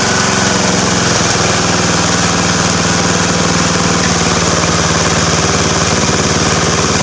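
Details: Free Craftsman riding mower, first run after an oil change: loud, raw unmuffled single-cylinder bark at a steady fast speed, even firing with no misses or knocking. Runs healthy.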